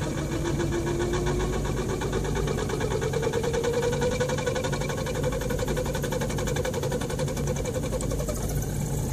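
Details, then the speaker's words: Dodge 3500 RV van AC blower on setting two, full cold, after a loose part was secured with two screws: a strong, steady rush of air as it blows cold and the earlier rattle noise goes away. "It's blowing cold air. The noise is going away. It's blowing real good."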